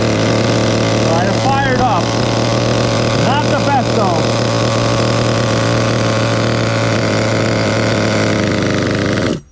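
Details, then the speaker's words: Vintage Duratrax RTX-27 nitro truck: steady low buzzing idle for several seconds, then abrupt cutout; idle too low and stalls. Owner suspects loose clutch spring, clutch and bell need inspection. "so now it seems like the clutch spring is is relatively loose because the idle is um it's kind of low if you ask me"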